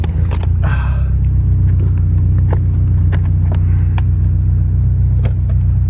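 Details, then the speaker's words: Subaru STI after fixing a P0300 misfire code, first road test under way: smooth, steady low rumble with turbo audibly pulling, no stumbles or skipped beats; misfire counts read all zeroes, engine running cleanly. "i know this camera's not picking it up but you hear the turbo's pulling i mean not as loud as mine but you can still hear it"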